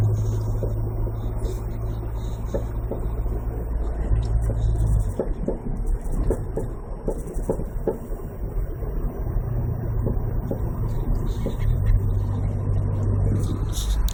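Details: Mazda Protege5, rear driver side while driving: irregular light ticks and rattles over low road rumble from the rear; unidentified noise, cause unclear.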